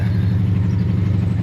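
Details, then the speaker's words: Honda V65 Magna V4 motorcycle, first start of 2025: lumpy, uneven, off-beat idle instead of a smooth V4 hum, not running on all four cylinders; misfire, caps to be checked. "That's not running on four, but it's running. All right. So, that is not running on four cylinders."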